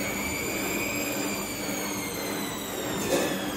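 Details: Bosch washing machine after damper replacement: steady whirring spin with a smooth motor whine slowly dropping in pitch and only a couple of light bumps; sounds like a normal spin.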